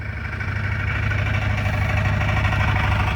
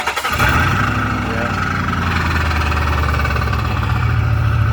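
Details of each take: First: Car first run after transmission swap (failed front pump or torque converter) with exhaust fixed: steady, even low idle rumble with no rattle or buzz; exhaust tight, engine runs smoothly. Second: Car just back on the road after a transmission swap, new exhaust pipe fitted with exhaust bolts to the headers not fully tightened; engine catches and settles to a loud, rough idle with raspy puffing: exhaust leak at the headers.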